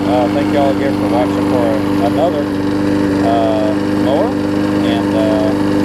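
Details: Husqvarna mower with aluminum deck and a transplanted single-cylinder engine, after a new gas tank, a replacement carb and a tune-up, started after priming. It holds a steady, even buzzing beat at constant speed with no misses or surging, running properly.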